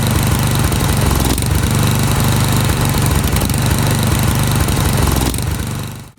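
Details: Snowblower small engine, carburetor main jet threaded out past lean stall point; uneven, lumpy chugging about four beats a second, set too rich before finding the sweet spot; rich running, chugging.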